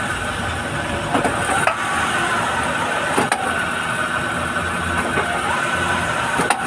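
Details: Honda Fit: quiet idle broken by several sharp single clunks a second or two apart when shifting into drive and reverse.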